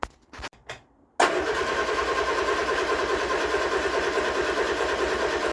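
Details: Vauxhall Viva HC under restoration after carburettor strip-down and rebuild: steady cranking at roughly three turns a second for four seconds without a single fire.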